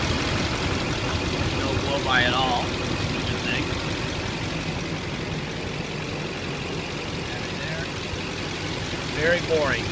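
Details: 2006 Chevy Silverado LBZ diesel 4x4 with 105,253 miles and new batteries, heard under the open hood: steady, even diesel clatter at idle with a couple of faint squeaks, no puffing, healthy.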